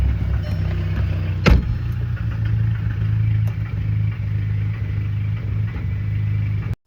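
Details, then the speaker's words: 2010 VW GTI engine on fourth start after rebuild, idling with uneven loping beat and occasional stumble; audible misfire, gas nearly 2 years old, low oil pressure sensor issue noted; cause not confirmed. "You can hear the audible misfire. And the gas that's in this is nearly 2 years old."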